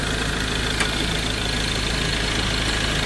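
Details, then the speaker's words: Ford Ranger diesel after bleeding the fuel system, its injectors having been flooded with water and previously knocking: steady, even idle with a regular soft clatter and no misses or stumbles; engine now running normally. "Umaandar na mga boss. Ganon kabilis."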